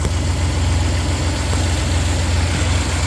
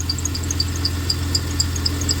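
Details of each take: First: 1993 Dodge Caravan after a new belt tensioner, idler and AC belt were fitted: a steady, even low idle with no chirp or squeal from the belts, running quiet and smooth. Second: 1993 Dodge Caravan at idle, before belt work: a steady hum with quick high chirps about four times a second from the accessory belt, which rides oddly on the tensioner. Owner suspects the tensioner; the belt, tensioner and idler were then replaced.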